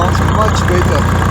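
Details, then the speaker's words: Farmall tractor after exhaust modification (cut-down pipe reworked): deep, even exhaust thump at steady low idle, no misses or knocks; idling smoothly, original deep sound back. "got the same the same cell as previously it's a nice deep sound and i think foreign it sounds"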